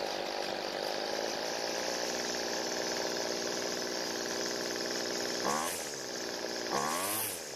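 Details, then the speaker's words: Weedeater two-stroke trimmer that dies when the throttle is squeezed, with the L (idle) mixture screw turned richer using an ink pen as a carb tool. The first turn raised engine speed and it ran fine; the second turn slowed it; speed changes with mixture adjustment. "the engine changed both times when I added fuel the first time the engine speed increased and it ran fine but I added more fuel the second time it actually slowed the engine down"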